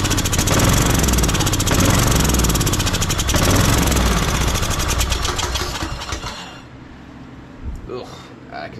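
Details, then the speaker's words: Troy Bilt Bronco riding tractor unstarted over a year, on old stale gas after carb spray, starter slipping, loose carburetor nut: rough loud sputtering for about six seconds then dies; fuel starvation from stale fuel. "Now that starter's slipping again. It can't still be running off that carb spray. Maybe. Maybe we can get it, hit it a few times to get it to start pulling some fuel."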